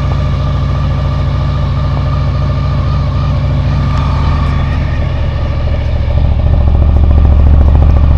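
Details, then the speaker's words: 2000 Honda VFR800, fuel-injected and restricted, on its second start attempt after standing 6 months with a full tank of old fuel: uneven, lumpy idle with one cylinder dead and its exhaust pipe completely cold. A loose coil connection is heard as the cause. Cylinder misfire. "В общем, один цилиндр не работает совсем. Труба абсолютно холодная."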